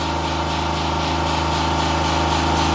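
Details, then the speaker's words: 2016 Honda Pilot 3.5L with DTC P2652, before repair: even but very high idle with a busy hum, while the rocker arm oil pressure switch voltage bounces between 10 and 6 V. Faulty switch causing the high idle. "so the engine is running the idle is very high so our voltage is bouncing around"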